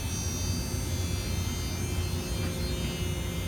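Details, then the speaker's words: Lochinvar Knight wall-hung boiler with the air handler on and 19° outside: the inducer gives a low, steady droning vibration buzz between about 62% and 67% modulation. It stops above that range and returns on ramp-down. "62 64 65 66% and it starts getting quieter then at 67% it stops so right in that 5% range of modulation that inducer makes that noise and it does the same thing when it kicks back down which is which is odd"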